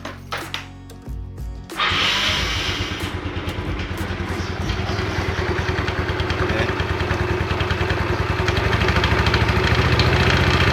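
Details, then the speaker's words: Yamaha Mio Sporty scooter starting and idling: rattly, clattering noise from the CVT at low throttle that disappears at high throttle, caused by a badly worn front pulley roller housing and boss. "di depan saya ada Mio Sporty ini mengeluhkan ada suara berisik pada CVT"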